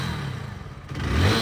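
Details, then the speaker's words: BS6 motorcycle at 2912 km, whose clutch assembly was badly damaged by local plates, after a spring was fitted: smooth idle rises cleanly on throttle, with no rattle or buzz. The earlier vibration buzz is gone and the engine sounds normal. "एकदम मक्खन कोई sound नहीं पहले बड़ बड़ कर रही थी ना ये ऐसे जसे अब देखो बिल्कुल बंद हो ग देखो अब ये नेचुरल इंजन का ही साउंड आ रहा है"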